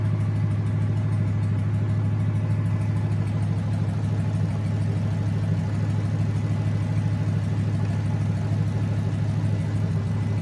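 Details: Junkyard 2009 Dodge 5.7 Hemi, about 80,000 miles, bound for a 1972 Cuda, on a run stand with new Hotwire harness and used 2009 Challenger PCM. First startup. Even, steady idle pulse, no knocks or misses. Normal idle.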